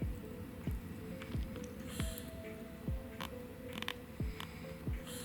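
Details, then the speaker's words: 3DO console disc drive, noisy seeking, motor run with sled gear exposed: quiet motor with a faint click about every two-thirds of a second as the cracked sled gear slips and skips teeth. "It's sliding. You could barely hear it, but yeah, it's skipping."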